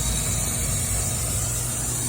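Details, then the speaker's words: Residential R22 central AC outdoor unit whose condenser fan motor was not running due to a dead capacitor, with the compressor near burnout. Loud, steady hum with a harsh hiss, discharge around 98°, pressures 110/242 PSI. Labouring, noisy compressor. "Tell you one thing, they say it's hard to stop a pain, but this thing is a pain in the neighbor's side because this thing is loud as hell."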